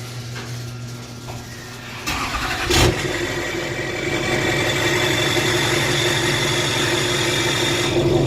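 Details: 2007 Duramax LBZ diesel, deleted, with MBRP 4-inch exhaust and downpipe, started after replacing the up-pipe gaskets that caused a loud screeching boost/exhaust leak. Brief crank, then a steady, even idle with a faint whistle; the fix appears to have worked.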